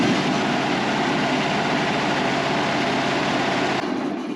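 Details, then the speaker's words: Woodmizer LT35 sawmill 25 hp Kohler engine after carburetor replacement, cold start at about 34°F, air filter off: settles straight into a steady, even beat around four pulses a second, no stumbling, then shuts off cleanly; runs healthy, unlike before. "it wasn't running right like this thing was not running right that right there sounds a world of difference"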